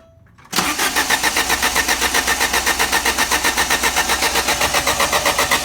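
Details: Alfa Romeo Spider: starter spins the engine at about four even pulses per second with no firing or catch; cranks but won't start.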